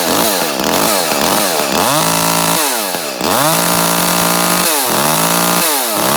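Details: Echo CS-310 chainsaw, about six to seven years old, after a spark plug replacement snaps up cleanly to a steady high scream, holds evenly through a test cut and drops back smoothly, now running healthy.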